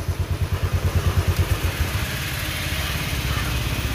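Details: Royal Enfield Classic 500 after fixing a starting and missing problem (fuel pump not running; check the pump and its relay): steady thump of about three beats a second settling into an even idle with no missing.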